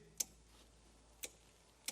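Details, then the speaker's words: Relay clicking up front when cranking on an imported Nissan GT-R of unknown history; three sharp light clicks less than a second apart over quiet background; owner suspects a kill switch, not confirmed. "There's a relay. I reckon this might be a kill switch."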